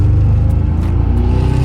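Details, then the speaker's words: 2008 Mazdaspeed3, about 150,000 miles, with cylinder 4 dead for nearly 10,000 miles before a 2.5L block swap: deep, lumpy exhaust beat with a skipping, uneven pulse under throttle and a flashing check engine light, indicating a misfire on the dead cylinder. "Oh, this sounds so bad. The check engine light is even flashing."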